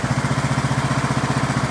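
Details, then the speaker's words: 2003 Craftsman LT2000, 18.5 hp Briggs & Stratton Intech, restarted without choke and idling: a crisp, regular putter at about ten pulses a second, even and unbroken; healthy idle, needs an air filter and oil change. "These old Briggs and Strattons, you can't beat them. All it needs is an air filter and an oil change now."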